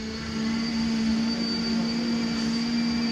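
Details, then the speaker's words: Douglas A-26 under restoration at Chino, CA: a steady hum with a faint whine from the electric cowl flap motor running slowly and healthy. The cowl flaps must be closed before the engine cowling can come off. "so you can hear the electric motor running. Those are actually fairly slow, but yeah."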